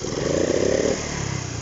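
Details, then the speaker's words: 1971 Honda C50 single-cylinder, restored after electrical no-spark problems: small putter ticking over evenly with a brief throttle blip, then settling back to a steady, clean idle; running nicely, normal idle. "just cleaned it up a bit and painted it seems to be running nice now"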